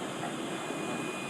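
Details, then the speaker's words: Bayou Classic Banjo Cooker KAB4 (30 PSI adjustable valve), nearly but not fully open after about 35 minutes heating to strike temperature: a thin, steady high whistle from the tank over the burner roar, growing as the flame is turned higher. "tank whistles a little bit the higher you go. But man, I don't think I'm at full yet, and this thing's just started cranking up."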